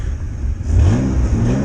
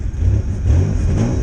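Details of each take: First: 1993 Ford Ranger 3.0 Vulcan V6 after rebuild for blown head gasket, timing set by ear, compression uneven: short clean rev from idle, smooth with no popping or misfire, slightly lazy; normal running. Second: 1993 Ford Ranger 3.0 Vulcan after cheap rebuild with new heads, ignition timing set by ear, uneven compression; deep, slightly uneven note that bogs a little as it revs. Lugging from rough timing and uneven compression.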